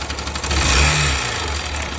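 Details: Yamaha YBR125 small single-cylinder motorcycle engine blipped up and back, light metallic rattle over the exhaust note.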